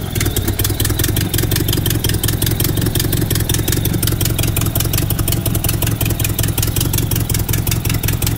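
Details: Nissan S12 with turbo CA18DET petrol engine idling steadily after an idle rework fix: deep, even rumble with light, fast ticking on top; runs much better now, further tuning still planned.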